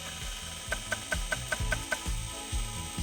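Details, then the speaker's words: IBM PS/2 Model 30 old stepper-motor hard drive, spinning but not working, flashing LED error code: about seven sharp evenly spaced ticks roughly five per second, then dull thumps; owner suspects a mechanical head-movement problem. "it was spinning but not working ending up with some flashing error code on the led the noise he made could indicate some mechanical problem with the head movement"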